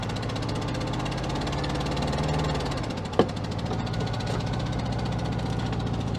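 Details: 1966 Volkswagen Beetle first running after over 10 years: lumpy, uneven idle with one cylinder dropping out, that cylinder's exhaust pipe cold to the touch; misfire from a failed spark plug, running on three.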